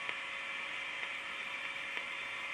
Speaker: now that tick tick ticking sound you can hear um I live next door to a farm and uh quite often the farmer's electric fence is not earthed correctly